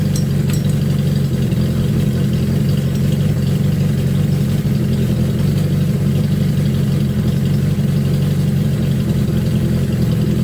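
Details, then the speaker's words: Suzuki GS1000 carb sync, now plugged into 12-volt power: a steady four-cylinder idle with the RPM rising as the carburettors start working together instead of against each other. "you can hear the engine RPMs coming up because now the carburetors are starting to work together versus against each other."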